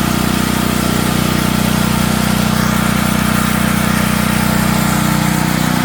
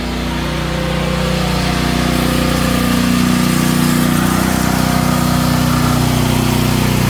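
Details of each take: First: Natural-gas home standby generator started at the beginning of hurricane season. A steady, hard-working drone with a coarse buzzing shake underneath. The shipping brackets were never removed and caused heavy vibration, so they were taken off. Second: Natural-gas home generator running under load after house power is switched over to it: steady even drone with firm low beat around four per second, holding speed smoothly; runs healthy.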